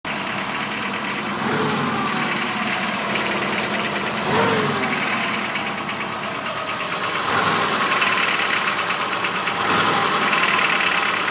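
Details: BMW 2002 M10 petrol engine, mostly new parts, knocking only at idle: uneven bottom-end knock, not valves; opening the motor found excessive crankshaft axial play, pistons and rods tight.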